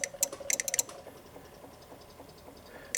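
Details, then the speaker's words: Honda Ruckus scooter with the key on and start button pressed: sharp, uneven starter relay clicks in quick bursts with no cranking and no fuel pump sound, as the battery with blown cells lacks amperage. "you can hear the relays ticking which means they don't have enough juice you can hear them tick tick tick"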